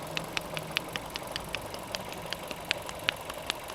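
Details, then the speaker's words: Learner car at about 40,000 miles, idling in neutral, microphone close to engine: normal rapid injector ticking plus slower, louder taps; hydraulic lifters fine, clutch friction disc damper worn by harsh gear changes rattles at idle. "But also on this car at the moment, you can hear like a slower, louder tap."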